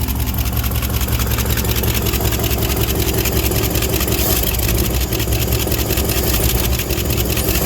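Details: 1967 International Harvester 1200 pickup, revived in Alaskan winter after 20 years of neglect, just after fixing an accelerator pump leak: loud, rough idle with fast light lifter ticking over the exhaust, steady with engine speed.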